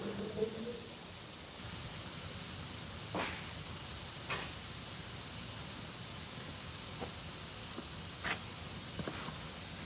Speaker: so now we see why our tire was leaking was leaking out of the core